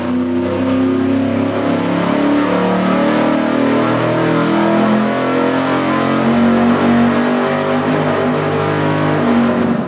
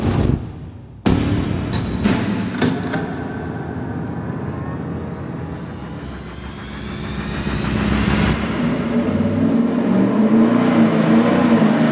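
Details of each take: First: Cheap vacuum-secondary carburetor run straight out of the box on an engine dyno at full throttle: a throbbing, uneven surge through the exhaust instead of a clean roar, pulsing like a massage shower head. Carb delivery is suspect. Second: V8 on the dyno with a budget 750 CFM four-barrel carburetor, secondary butterflies zip-tied to open mechanically: it pulls hard, pitch climbing evenly with no stumble or flat spot. A clean wide-open-throttle pull.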